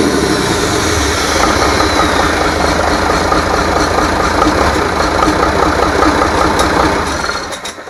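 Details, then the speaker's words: International DT466 diesel from a loader, previously knocking, after rebuild, test run with valve cover off: steady diesel clatter at even idle with no heavy knock, then winds down at shutdown; runs good, normal idle. "so now we know it runs good uh so far we're going to do some other maybe adjustments and a few other things put the valve cover on and some other different things but I think we're in good shape now"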